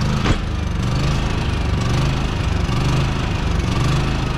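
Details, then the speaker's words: Unloaded electric-start RV generator engine hunting up and down in speed about once a second instead of holding steady; surging that the owner suspects is a dirty fuel system, not confirmed. "so yeah that's a that's a dirty fuel system issue um when they kind of surge like that"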